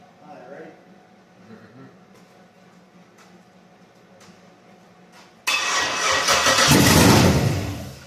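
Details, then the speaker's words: 1966 Ford F100 body on a 2008 Crown Vic chassis with an LS-swapped V8, first-ever startup: it cranks briefly, catches on the first try and settles into a strong, even V8 idle. A normal start. "The honest truth is I did the first startup on this truck several months back. Fired right up. I'm talking about first try."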